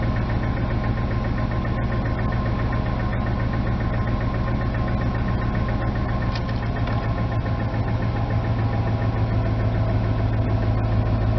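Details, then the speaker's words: 1999 Ford F250 Light Duty, 5.4 Triton V8, cold idle: loose, uneven knock about four per second; owner suspects rod knock, possibly timing chain; knock fades as idle drops; plans engine swap. "yeah but the knock eventually does go away once it idles down to about a half of an rpm but it's pretty bad i will admit that"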